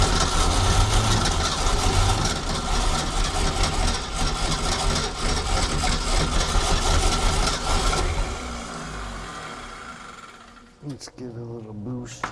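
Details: 1976 Ski Nautique V8 boat engine, Pertronix D231801 distributor, first start, weak battery boosted: runs rough and lumpy with throttle held open, sags and dies toward idle; won't idle, owner suspects clogged carburetor jets, plans carburetor replacement.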